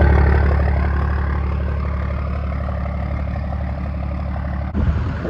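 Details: 1st Gen Dodge 12-valve Cummins diesel, 5-speed manual, just started after fitting a new exhaust tip: deep, even idle with regular low chug about four beats a second, no knocks or misses; healthy idle.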